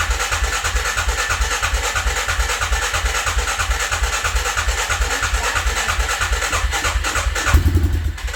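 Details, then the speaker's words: Suzuki Vinson 500 quad, first startup after a head gasket replacement: an even single-cylinder thump at about three beats a second with no ticking, then it stumbles and dies as it runs out of fuel. It is much quieter than before, though it was later found still burning coolant. "fuel it sounds so quiet so much better than what it did"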